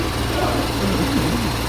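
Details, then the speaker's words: 2021 Range Rover SVR V8, crash-damaged salvage car, on battery charger, some coolant on floor: deep steady even idle with no stumble or skip; running smoothly. "we got a bit coolant on the floor that seems good it runs it runs good it seems okay"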